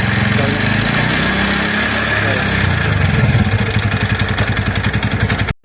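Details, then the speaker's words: TVS Ntorq scooter running with a fast, uneven metallic clatter from the magneto side, strongest toward the end. Cause: loose flywheel (magnet) nut. "ये नट बिल्कुल ढीला है तो ये नट सारे एंटोर का यही ढीला होता है तभी मैगनेट साइड से आवाज आती है"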